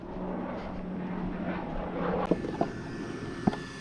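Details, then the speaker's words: Team Associated MT RC truck with an aftermarket, non-factory ESC and a lower-KV motor that stays cool. The ESC keeps shutting off, and on startup the motor's steady hum breaks into stuttering "diddle-lut" clicks, sometimes on its own. The ESC is suspected; a Hobbywing ESC is planned. "See, you hear when you start it, yeah, that diddle-lut, diddle-lut. Sometimes you just hear it, it'll sit there and do that on its own."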